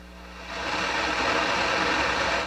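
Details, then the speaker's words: Akai GX-230D open reel tape deck under restoration, left channel microphone input: loud steady hiss swells up then fades after about two seconds; bad transistor in the left mic preamp, fix is replacing transistors or capacitors. "got a bad transistor in that left microphone amplifier"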